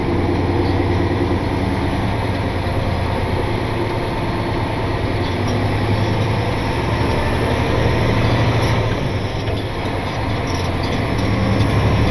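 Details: Truck on its first test run after a shop repair, loaded, pulling away through the gears: deep, even diesel pull with no ticking or clatter, not getting hot, running smooth; normal under load.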